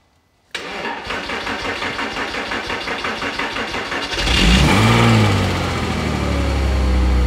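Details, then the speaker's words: Porsche Boxster flat-six, bought as Britain's cheapest under £2,000, starting after an OBD reader cleared codes despite reporting no faults: about four seconds of even cranking, then it catches cleanly into a smooth steady idle, no smoke, no odd noises; normal start-up and idle. "just sounds absolutely lovely lovely no smoke no alien sounds it just sounds wonderful"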